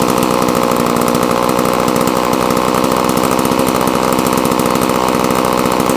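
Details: Homelite chainsaw, choke off, ignition on: crisp, rapid, even two-stroke firing at a steady high pitch, no misses or rattles; running cleanly.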